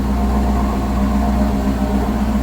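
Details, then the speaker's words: Steady, even low exhaust burble at idle from a car fitted with Holley Sniper EFI after three years of use; no misfire or stumble, running good, though the alternator charges poorly. "Before we go up front, running good here, get you a little exhaust note."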